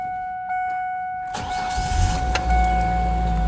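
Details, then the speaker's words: 1999 Ford Ranger 2.5 L four-cylinder, after swapping back to the original fuel rail and reconnecting a rail line that had come loose, then priming: starter whirs briefly, engine catches cleanly and settles into an even note; normal start. "All right, this should be good, because I heard it click. I heard it click whenever I connected the fuel rail, so that should be good. It'll find its idle soon, and all will be well."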